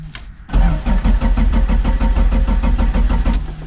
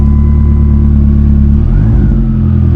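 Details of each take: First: 1999 Dodge Neon with swapped 2.4 turbo SRT-4 engine, out of storage: starter spins engine at steady even beat about three seconds without firing; crank no start, out of fuel. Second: 1999 Dodge Neon with swapped 2.4 SRT-4 turbo engine, running after sitting in winter storage: steady deep hum with even beat, slight dip midway, then smooth settled running; normal idle while warming up.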